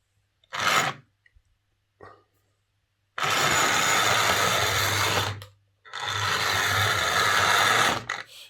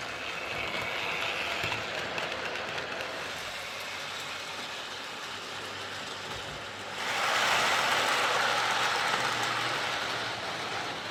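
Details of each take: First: Hornby R041 GWR Class 57xx Pannier tank model loco before repair, reported to spark, hesitate and need a push; motor whirs in harsh bursts, stop then full speed with nothing between. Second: Hornby R041 GWR Class 57xx Pannier tank model loco after a new rear motor bearing, pulling wagons round the track; light even motor hum with rail clicks about three per second, no grinding or rattle: normal running.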